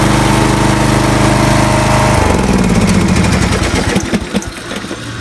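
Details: Swisher 60-inch trail mower's small single-cylinder engine fires up and runs evenly, and its note deepens as the lever-engaged blades take up load, then settles. The belts may be in their last season, but it sounds healthy.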